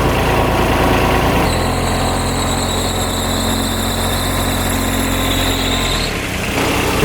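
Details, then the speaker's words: 2007 Kubota RTV900 diesel UTV on a test drive: steady high-pitched squeal over the low diesel drone from a squeaking, slipping drive belt. "Yeah, that belt is squeaking. All right, first thing we're going to do is try to fix that squeaky belt."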